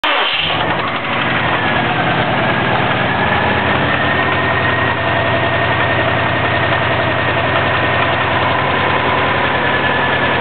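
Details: 2004 Subaru WRX engine, stock turbo, tuned to 22 psi boost, heavy knock after doing donuts on pavement: starts and idles with a deep rhythmic knock keeping time with the crank; owner suspects rod knock, unconfirmed.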